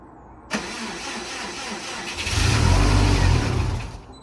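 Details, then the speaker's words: Project Subaru STi with a turbo engine on its first start attempt after a ROM write: starter churns about four beats a second, speeds up briefly, and never fires; fuel pressure is good, but there is no oil pressure yet. "I mean, it's not going to build oil pressure in that little bit of time because that's the same thing we were doing was cranking it."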